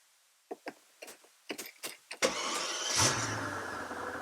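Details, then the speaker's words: Twin-turbo V12 Mercedes CL65 AMG after a misfire on a road trip, restarted following a key cycle: a few clicks, short crank, catches cleanly and settles to steady idle with no stumble; normal start, cause believed to be bad fuel, check engine light still on. "started a lot better it's perfect it's perfect check engine light yeah i mean the check engine light's gonna still be on we got to clear the code you guys guys that was it it was bad fuel"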